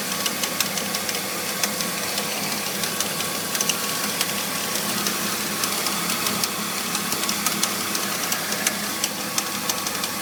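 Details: BMW E46 325i at idle after new pulleys, serpentine belt, radiator and power steering pump: light, sharp irregular metallic rattle from the engine bay; cause unknown.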